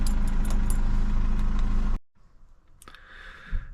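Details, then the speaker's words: 2006 Mercedes W209 CLK 220CDI diesel after turbo actuator replacement, no OBD faults and no engine management light: steady even idle with smooth low beat, no knocks or surges for two seconds, then cuts off; back to normal. "So, yeah, it's pretty much back to normal now, which is uh which is"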